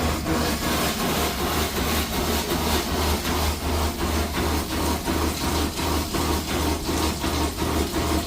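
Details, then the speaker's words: Food truck inspection, Seaflo electric water pump on a switch running with the propane water heater on: steady low drone with even pulsing about three times a second; pump operating normally. "there you go there's your water pump you can hear it the water pump the water heater is working"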